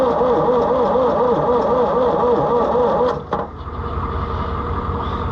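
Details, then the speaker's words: Oliver 1355 tractor, first start attempt after fitting a new fuel pump. Steady starter cranking at about four compressions a second with no firing; fuel reaches the pump but none comes out. The owner suspects the system is still empty. "we got good fuel to the pump we just a getting fuel out of"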